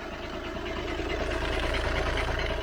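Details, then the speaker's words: High-mileage VW Passat DSG diesel at idle: busy, uneven metallic rattle over the firing beat from the flywheel end. The owner suspects the dual mass flywheel; the noise was absent on the test drive and first moves, so the cause is unconfirmed. "i'm going to say that's dual mass flywheel unless there's something else rotational that i could have upset"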